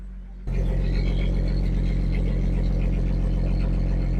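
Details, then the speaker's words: Engine after installing a universal 2.25-inch catalytic converter, O2 codes cleared, starts and settles to a deep smooth rich-sounding idle; healthy, no leaks. "let's fire it up and see what it sounds like definitely different kind actually much richer in sound"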